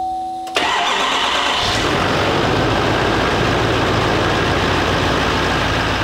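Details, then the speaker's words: 2018 GMC Sierra 3500 HD salvage rebuild, after replacing the pipe and seating its gasket. It cranks briefly, catches and settles into a steady, even idle with no whistle or hiss; the noise is gone. "looks like everything is fine it doesn't make that noise no more and again this pipe running smoothly"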